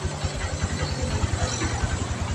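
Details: Verza 150 single-cylinder motorcycle after replacing the loose cam chain (kamrat) that caused its rough noise: quick, even idle thump at about a dozen beats a second, no top-end rattle; smooth normal idle.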